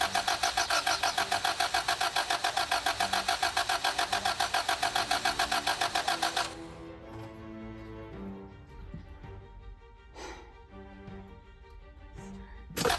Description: I try to start the 2003 Camry but it won't start. The engine turns over and it cranks but it won't start.